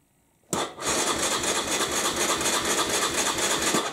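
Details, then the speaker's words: 1998 Aprilia Leonardo 125 scooter long stored outside, new battery, carburettor cleaned and refitted: starter spins with quick uneven churning but never catches; no start while the fuel pump fills the float chamber, no pump heard. "I don't hear no fuel pump maybe the fuel pump only runs when I am starting maybe the fuel tank is empty already"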